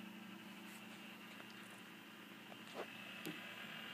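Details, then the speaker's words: HP Pavilion 753n booting into recovery with F10 to restore factory Windows XP: soft steady whir with scattered quick scratchy seek bursts from the old loud Western Digital hard drive, normal seeking. "oh listen to that drive grind oh yeah those good old loud Western Digital drives they never die either which is kind of nice"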